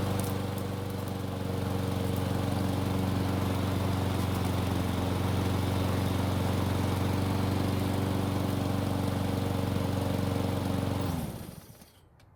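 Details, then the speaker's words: Curbside Cub Cadet self-propelled mower that still wouldn't start after carb cleaning, now started after several pulls. It runs with a steady, even drone for about eleven seconds, then shuts down cleanly. "So it took several pulls, but it finally started and ran for us."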